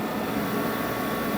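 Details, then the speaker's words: Corded garage heater running: loud, steady fan rush with a thin, high-pitched squeal throughout; source of the squeal not pinned down. "these things are so noisy and this one in particular is makes such a high pitch uh like squeal I guess that it's it's almost not worth running because it's just so annoying"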